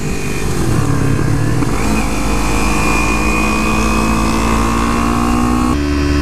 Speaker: The fueling on his is very smooth. This doesn't seem to have the popping I get. So I'd say his tune is a nice smooth tune.